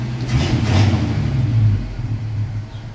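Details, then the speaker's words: Truck cold-started after sitting 14 days: the engine runs at high idle, then eases down to a lower, steady idle as it warms. This is normal choke behaviour. "that it idles and it settles it down you got to kick the boot before you do it then it warm up and then you kick the boot"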